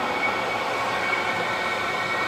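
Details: Diesel heater at a cold allotment in frozen December, wired directly to a 12 V battery, half a tank of diesel, started first shot with the pump primed: steady even whoosh of fan and burner, no sputter, pulsing or rattle; burning cleanly, normal running.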